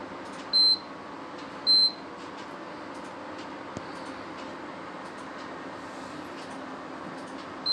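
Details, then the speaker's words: Prestige induction cooktop with pot on, before repair: two short high beeps a second apart, a gap, another, no heating hum; not heating, showing E4 error. "When I turn this thing on and put some pot on it, then it doesn't work, it doesn't heat up, just keep on beeping. And then after that, when I tried next time, and then it was showing the E4 error on this display panel."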